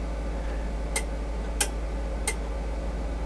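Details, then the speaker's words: GW Instek GPE-3323 linear three-channel DC power supply, current limited down to zero: three crisp separate clicks about two-thirds of a second apart over a low hum; range relays switching normally inside. "you can hear it you can hear the relays flapping inside"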